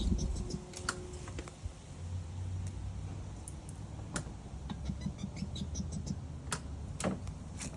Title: Ryobi 40v Push Mower just making clicking sounds when starting